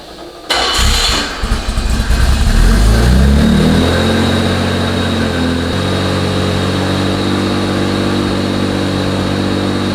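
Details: Vintage BMW after fitting a DIY full stainless Borla exhaust, with a new driveshaft center support bearing: brief crank, catches cleanly, flares then settles into a steady, even idle with a deep exhaust note. Healthy start.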